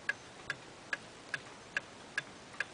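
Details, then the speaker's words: Eight-day clock with Geneva stops, ticking evenly about every 0.4 seconds with no limp between tick and tock, so it is in beat; an out-of-beat clock would stop before running eight days. "um this one's in beat you can hear it it's ticking evenly"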